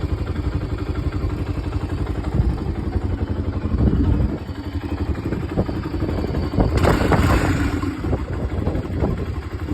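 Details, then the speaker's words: 2002 Honda TRX300EX single-cylinder quad after carburetor rebuild, new plugs and oil change; quick even thump around four beats a second, picking up cleanly on throttle with no stumble; the former throttle lag is gone. "There used to be a lag when I would turn the throttle. Now there's no more lag because of Jeremy's expertise on the carburetor."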